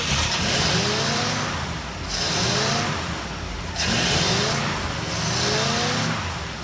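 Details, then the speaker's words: 1960 Pontiac Ventura barn find V8, rebuilt Tri-Power carburetors, after timing adjustment: surging up and down every couple of seconds, labouring; owner suspects timing slipped, unsure, and too much fuel. "well it definitely acts like the timing it slipped and tightened down good and tight I mean think there was any way it actually slipped but it sure looking like it"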